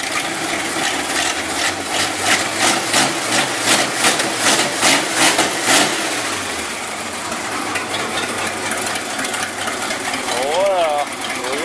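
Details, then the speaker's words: Basket-case GMC V8 after the plug-wire spark fault was fixed and the correct carburetor gasket was fitted: a fast ticking rhythm over the idle smooths into a steady, even run as it warms, with the block steaming. Normal idle. "that sounds better um all right it started and it kind of ran it didn't make a lot of noise"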